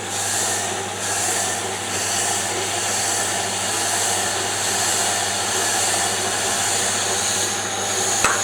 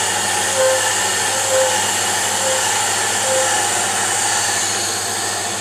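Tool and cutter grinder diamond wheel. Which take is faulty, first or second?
first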